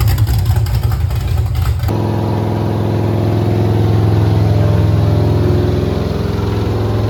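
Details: Refreshed 350 V8 pulled from a Pure Stock race car to fix issues: cranks about two seconds, catches cleanly, steady even lope with no knocks or ticks; sounds healthy.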